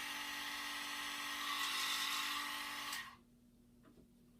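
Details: Z8000M mini lathe motor and headstock assembly powered up to check the bed doesn't scrape on the cover: clean, steady motor whine with no scraping or ticking, then spin-down; runs freely.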